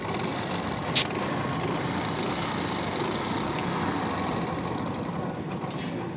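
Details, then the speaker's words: Hero Honda Splendor Plus single-cylinder, kick-started, idling in neutral: small ticking with fast busy metallic chatter, loud engine noise traced to a loose, slack timing chain. "तो sound आप लोगों ने सुन लिया कितना ज्यादा sound ए रहा है"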